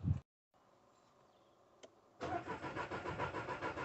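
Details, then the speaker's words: Skoda Fabia 1.2 petrol, crank no start: starter turns over evenly at roughly three beats a second without firing. Fuel pump works but no fuel at the rail. "we'll come to look at a skoda fabia 1.2 petrol it's cranking but not starting"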